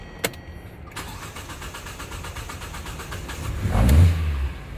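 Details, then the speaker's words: LPG taxi that stalled while driving, started with the air cleaner cover open: starter churns steadily for nearly three seconds before the engine catches and revs up. Delayed start caused by a leaking injector flooding the intake and upsetting the air-fuel ratio. "The reason the engine started a little late is because the injector leaked"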